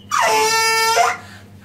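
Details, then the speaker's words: Combi boiler fill tap opened to top up water pressure: loud, steady horn-like honk that cuts off when closed; faulty fill valve, sound stops after replacing the tap. "böyle ses varsa korkmayın bakın nereden yapıyor bu sesi Su doldurma musluğundan buna Korkacak bir şey yok korkmayın"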